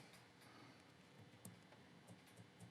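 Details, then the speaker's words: 1:32 scale slot car on a tech block before ride-height adjustment: small sharp clicks, about four in three seconds, as the chassis is pressed, from loose front axle upright screws. "you can hear it moves a little bit and you can hear the clicking so I want to drop these screws"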